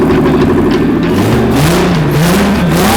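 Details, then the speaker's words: Toyota JZ engine (about 200 hp) swapped into a VAZ-2107 Zhiguli, first start; loud six-cylinder note revving steadily, pitch climbing smoothly under throttle with no misfire or knock, the engine finally running. "Наконец-то наш наш JZ, установленный в Жигуль, работает."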